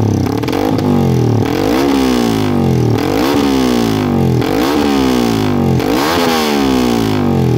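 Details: Yamaha MX King bored up to 177cc after its first 5000 km, tuned slightly richer with a J Maper exhaust: repeated throttle blips about every second and a half climb and drop back cleanly with no rattle or stumble; healthy engine.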